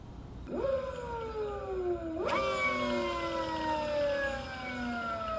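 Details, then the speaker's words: Electric motorcycle (ELX600 build) on old controller at 111 settings after hooking up big 96V battery: clean whine climbs with throttle then glides smoothly down coasting, no stutter or grinding; motor running properly. "after hooking up the big battery before the second qs10 connector popped it started sounding better at these settings"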